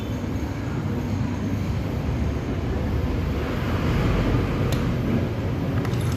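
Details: Bajaj Pulsar AS 150 motorcycle, engine previously rebuilt: coarse heavy grinding churns under the running engine like a cement mixer, rubbing with clutch pulled; teardown finds jammed bearing, clutch assembly to be replaced.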